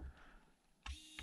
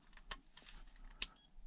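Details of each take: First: Hobby Plus CR-18P Trail Hunter RC crawler winch on separate ESC after reprogramming: short clean whir one way, click, then whir the other way; winch motor and controller now working properly. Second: Hobby Plus CR-18P crawler, winch ESC powered separately and tested on a motor: only a couple of faint short high beeps with no arming tune, ESC fails to initialize and motor does not run until reprogrammed.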